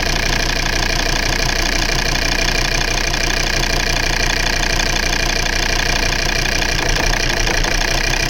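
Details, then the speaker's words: Volvo V70 2.4D (P3) at idle: uneven, lumpy diesel idle with about three stumbles a second. The misfire appeared when the injector wiring loom was wiggled; the faulty loom is the cause, and no injector codes were found. "by accident i just touched the cable and wiggled and it fired up and it started doing things like that as you saw in this video"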